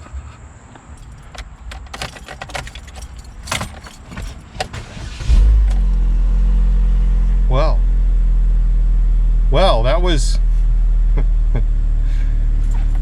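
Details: 2006 Chevy HHR after its rusted fuel lines were replaced with nickel-copper pipes and the fuel pump fuse refitted: key-off clatter, then the engine catches at about five seconds and settles into a steady, even idle with no stumble.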